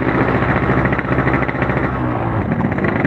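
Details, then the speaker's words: RX motorcycle with an Altech exhaust pulling away through the gears: an uneven, stumbling exhaust beat that stutters ("prepet") in second and on initial take-off instead of building cleanly. Hesitation on acceleration, cause unknown. "gigi dua prepet langsung nudut gigi tiga enggak mrepet langsung dapat akselerasi nah hentakan awal itu ada ngoknya"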